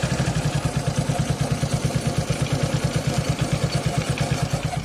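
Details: Suzuki Access 125cc scooter at cold first start of the day: uneven rattling beat around three a second over the idle; it also makes noise at 30–40 km/h; mechanic says timing chain, owner doubts it; cause unconfirmed.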